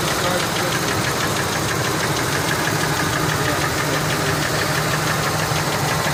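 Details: Ford F150 4.6 two-valve V8 at idle: fast, uneven knocking rattle like a lifter tick, but valve cover off showed nothing from lash adjusters or roller followers; timing chains just done; owner now suspects rod bearings.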